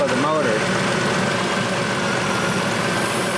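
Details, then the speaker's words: Fourth-gen F-body Camaro/Firebird, Series 2 3800 V6, after heater hose replacement, idling warm: steady hiss of air escaping the opened coolant bleed screw, fading as coolant emerges, system now air-free. "hear it hissing there goes see the coolant now we know we're good we' got a lot of coolant we're good should be air free now tighten that down you're good to go"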